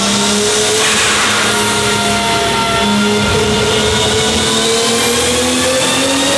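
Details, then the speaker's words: Toyota Supra Mk4 on a dyno after fixing boost leaks, full-load run at 1.5 bar boost: smooth pull with one clean rising tone, no hiss or flutter; no leaks, boost now controllable. "Das passt jetzt soweit, also wir haben jetzt keine Undichtigkeit mehr und können auch jetzt den Ladedruck regeln und takten."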